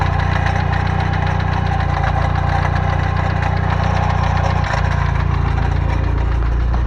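Steady idle carries a loose, uneven metallic rattle about three or four times a second; that points to a loose starter ring on the flywheel.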